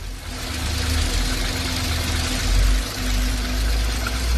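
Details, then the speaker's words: Ford EcoSport 1.5 manual, cold engine at idle: low, rough transmission rattle that stops when the clutch is pressed and returns when released, only when cold; a clutch or release-bearing noise is suspected, not confirmed. "complicado porque se quita cuando pisamos el embrague, se vuelve cuando soltamos el embrague, lo hace solamente en frí"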